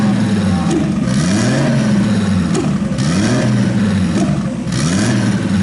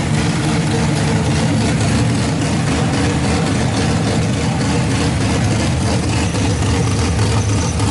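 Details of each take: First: RB26-swapped Subaru WRX on Haltech ECU after fuel adjustment brought down to 12, fans on while warming: smooth clean revs rising and falling, no misfires heard; normal revving. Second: RB26 swapped into Subaru WRX, first start on Haltech Platinum ECU with base map, cooling not yet plumbed: loud, lumpy, uneven idle that won't settle; rough running, not 100%.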